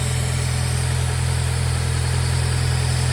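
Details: N14 Nissan Pulsar Ti SR20DE idling shortly after a cold start, airbox half removed: smooth, even low idle hum with a steady beat and no knocks, ticks or misses; engine sounds healthy.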